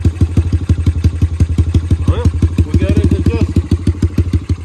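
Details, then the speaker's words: Yamaha TTR 125 dirt bike rebuilt from a wreck, after repainting the exhaust and cleaning the spark arrestor: crisp, even single-cylinder thumping that picks up cleanly with throttle blips; normal running. "i like it it sounds good sounds real good hammer that throttle one good tombow dude that sounds so good"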